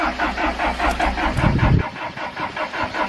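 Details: Diesel camper van broken down on a climbing expressway: even starter chugging at about four to five turns a second, never catching. Not enough diesel in the fuel filter after hand-priming; no power to the fuel shutoff solenoid.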